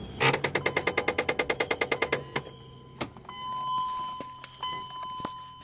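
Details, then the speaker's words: 4x4 vehicle with intermittent 4x4, brake and ABS warning lights, heard underneath right after shutdown: fast, even ticking of about eight or nine clicks a second for two seconds, then stops; cause not yet traced. "let's see when we turn it off do we hear the ticking okay we're looking underneath the vehicle listen to the"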